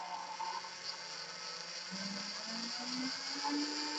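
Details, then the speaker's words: Small 12 V DC motor driven by a kit PWM regulator; as the potentiometer raises the duty cycle, the motor starts and its steady whine climbs smoothly to full speed (100% duty), normal run-up. "El motor sigue parado y ahora empezamos a arrancarlo un poquito. Vamos aumentando el ciclo útil, la velocidad va aumentando"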